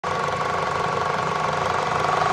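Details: Citroen C5 1.6 VTi at idle: steady idle with a fast, light tick at a constant rate; top-end ticking, cause unknown.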